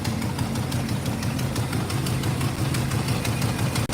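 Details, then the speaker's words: 1963 Chevrolet Impala at idle: rapid ticking, about three a second, over a rough, low idle from a known exhaust header leak puffing at each pulse. The engine also feels weak under throttle. "now I know it's got an exhaust leak it's got a header leak I I'm aware of that"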